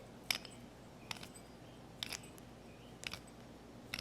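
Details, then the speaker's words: Rough, binding idler pulley bearing on a 19-year-old, 125,000-mile Mazda 626, removed from the engine and spun by hand: gritty scraping bursts about once a second, the pulley barely turns; replaced along with belts and the other pulley. "now listen to this you hear that a pulley should not be making that noise as you can see it doesn't want to turn hardly at all"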